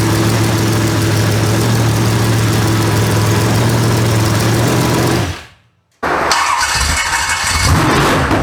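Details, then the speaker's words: Very first start of freshly built 283 small-block Chevy V8, untuned, no coolant yet, with solid roller cam; fires and runs with steady lumpy beat, shuts off, refires rough but even; normal first start. "now we can put some water in it do some adjusting and let him play that song but that was the very first initial start of this 283"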